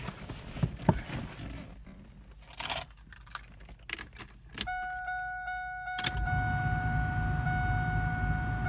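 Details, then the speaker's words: LS1 Camaro after replacing knock sensors for codes P0327 and P0332: keys rattle, the starter cranks, and the V8 settles into a smooth, steady idle under a door chime. The check engine light is still on, to be cleared; failure to idle down would suggest a vacuum leak. "See if it idles down a little. There it goes."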